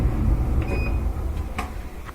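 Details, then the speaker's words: Maytag Epic Z gas dryer that was blowing cold air: the igniter glows, then the gas coils open and the burner lights, with a steady low drum rumble, a few light clicks and a soft rush; heating normally again. "These gas coils will let the gas flow in, and it's going to ignite. There we go. Got it. Got heat again."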